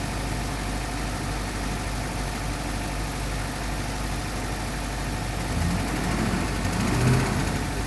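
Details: 2005 Duramax LLY diesel at cold-start idle: an uneven, heavy knock about three beats a second under the clatter. Compression testing points to a mechanical fault on cylinder one, with bearing material in the oil filter; the engine likely needs rebuilding or replacing.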